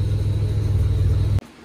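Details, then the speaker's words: Buick Grand National with new engine on its first start for cam break-in, heard under the hood: deep, steady low rumble with an even beat, no ticks or knocks; running pretty good, normal running. "all right looks like she's running pretty good not bad not bad at all"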